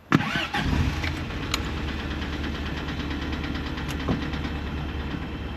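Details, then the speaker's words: 1983 Toyota Pickup SR5 parked about a year, started with a jump pack: catches and settles into a steady idle with a light metallic timing-chain rattle right after startup, otherwise sounding healthy; thermostat suspected stuck closed. "hear that chain okay sounds good sounds healthy he lives"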